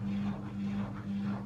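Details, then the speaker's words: AEG L76680WD washer dryer with an E91 fault, test program started with the door locked: the drain pump runs with a steady low hum and soft pulsing drone. The drum can't be seen turning yet, and the pump sounds normal. "you can hear the pump running can't see it turning yet"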